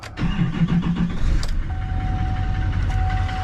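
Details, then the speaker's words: Duramax 2500 HD long-bed diesel, 229,000 miles, glow plug light off: short crank, then catches and settles into steady even low clatter with no misses; clean normal diesel start. "I just personally am a Duramax guy I just like Duramax man I like the sound"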